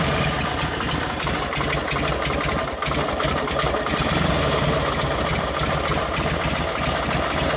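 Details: 1952 Harley-Davidson 74ci panhead after top-end rebuild and rebuilt Linkert carb: uneven, lumpy idle with loose irregular firing around three beats a second on full choke, running hot; lean mixture, mixture screw later backed out about 5 turns and it took throttle.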